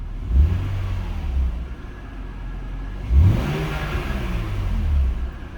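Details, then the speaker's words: BMW E39 528i (M52TU/M54 six), warmed up after new dual VANOS seals and anti-rattle kit: quick rev blips drop straight back to a steady idle, where it used to dip to about 500 RPM before stabilizing. "One immediate notice change is when I used to rev it, you know, it would go up and then come back down, drop down to almost, you know, whatever that is, 500 RPM or so, and then come back up and stabilize."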